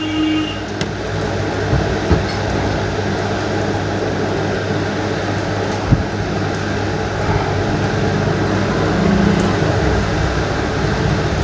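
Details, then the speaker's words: 26mm rotary hammer machine after full repair (gearbox, bearings, armature, brushes, greasing), final no-load test: steady low motor hum at even speed, no grinding or rattle, sounding like new. "और सुनी इसकी आवाज ये देखो हमारी proper work कर रही है। ये भी प्रॉपर वर्क कर रही है।"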